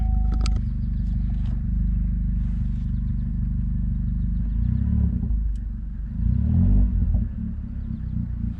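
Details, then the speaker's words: Chevrolet Cruze four-cylinder just after spark plug replacement: fires right up into an even, low idle rumble with no misfire, stumble or ticking; healthy. "All right, so she fired right up. It's running really good right now."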